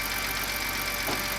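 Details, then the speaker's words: BMW 328i E90, first start after swapping in a used N52 engine. A steady, high-pitched power steering pump whine sits over an even idle from air in the system; it needs bleeding by turning the wheel lock to lock and topping off. "we'll bleed the power steering system by turning the steering wheel back and forth from stop to stop multiple times until the whining noise stops"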